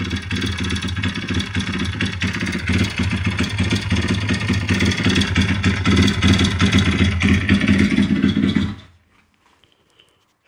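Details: YX-1 160 four-stroke single running with a rough clatter of about three knocks per second over the exhaust, then shutting off. Fully rebuilt with valves adjusted; small piston-pin play, no conrod or cam play, but the cam came out easily with its bearings; slight ringless piston play. Cause unknown.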